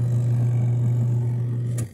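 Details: Portable twin-tub washing machine (5 kg capacity), empty spin tub running after repair of a no-power fault traced to a bad cable: steady, even low hum, no knocking or scraping, then winds down and stops; spin healthy.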